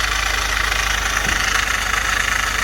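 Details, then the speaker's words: Ford F-150 after rebuild, at idle: steady high-pitched whir with light slapping. The tensioner is suspected (hopefully not the harmonic balancer), the belt is shredded, and a loose plastic pulley with play makes the noise; worn idler pulley. "i'm guessing it is this tensioner here maybe but hopefully it's not the harmonic balancer but it could be"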